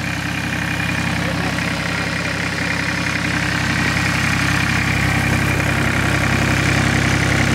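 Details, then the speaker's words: Massey Ferguson 1010 tractor diesel, 103 hours, with a newly fitted fabricated radiator that leaks a little: steady, even clatter holding a constant low drone with no knocks or misses; idling smoothly. "you can hear it just humming away over here that thing has a hundred three hours"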